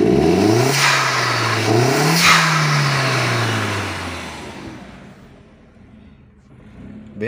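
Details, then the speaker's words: SEAT Leon Mk1 (1M) 1.8T petrol with new TiAL blow-off valve, soft original spring: two rev blips with a short rush of air, then revs sag slowly; blow-off valve leaking, spring to be swapped for the stiffer one. "¿Ven? Como que tiene fuguilla. Entonces vamos a cambiar el resorte porque trae otro resorte."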